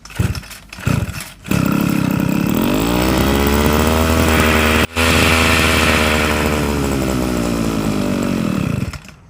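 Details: Old, long-unused Aggio lightweight grass trimmer engine, carburettor suspected of not drawing fuel: starts with choke closed, but with choke open it revs to a high steady scream, holds briefly, then fades and dies.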